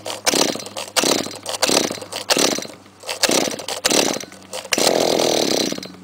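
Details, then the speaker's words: Trimmer unstarted for a month and a half, idles poorly, owner thinks it's not getting enough gas despite a clean carburettor, maybe the muffler: repeated recoil pulls about every 1.5 s with no catch until a short burst at the end; hard starting. "takes a lot of cranking just like the good old days there we go again takes a while to start"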